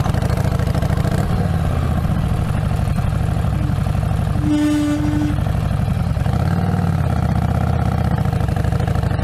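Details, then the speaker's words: Harley-Davidson Street Rod 750 riding along: steady mid-pitched howl from the rear brake rings over the engine for about a second; known rear brake howling glitch, before the fix. "It had a howling noise to it, which I experienced, and I will show you a demo video of that noise."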